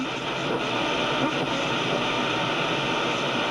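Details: Grundig Satellit 800 radio tuned off-station: steady even hiss across the range with no chugging or stepping of the encoder; clean background noise of a healthy receiver.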